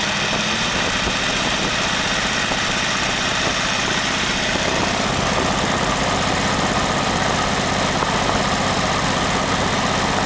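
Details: Very old stock Studebaker 259 V8 with AFB carburetor and new Evans intake, first start, idling about 700 rpm: lumpy idle with a loose, uneven rattle from the front of the engine; loose water pump rattling, to be fixed.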